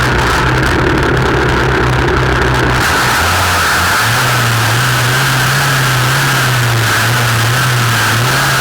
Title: Dolmar MS 4510 Shaft View (LOUD NOISE)